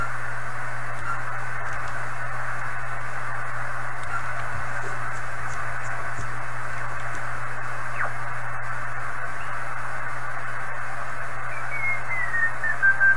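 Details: 1980s Kenwood TS-430S after Kenwood's relay-contact procedure, antenna reconnected, stepping the 1 MHz switch mid-afternoon: steady band hiss with faint chirping digital-mode tones, level drifting with antenna signal, not the radio; normal reception.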